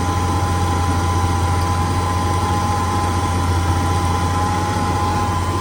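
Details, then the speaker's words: 71–72 350 V8 in a split-window Corvette coupe, first run in about 30 years, electric fuel pump, warming up, idling fast with idle screw all the way out; smooth, steady low rumble, no misses or knocks, clean exhaust with no smoke, normal idle. "Believe it or not, pretty clean. No smoke. After about 30 years of not running. Running very smooth for a motor that hasn't been started up for at least a quarter of a century."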